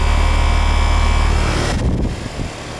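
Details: Ton-and-a-half AC unit, relatively new, restarted after icing-up problem traced to the filter, washable filter fitted: even compressor and fan hum, smooth drone, no rattles or squeals; running normally with charge and subcooling in range.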